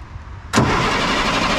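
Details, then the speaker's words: 1998 International 4700 DT466e diesel: starter engages abruptly and spins steadily but engine never catches; fuel pressure gauge reads zero while cranking though oil pressure shows, after replacing and priming the fuel water separator; crank no start, no fuel pressure. "all right so we're gonna crank it but i'm gonna hold this over there and show you the pressure gauge down there if you can see it i want to be able to see it as well and as you can see look at that zero pressure"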